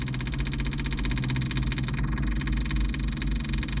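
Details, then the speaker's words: Kubota KX033-4 excavator, ~1000 hours, outdoors around 45°F, just started after fuel filter change and normalizing as bubbles clear: even low diesel rumble at steady idle, no misses or hunting; normal idle. "This thing always starts right up after a fuel filter change. Starting to kind of normalize a little bit."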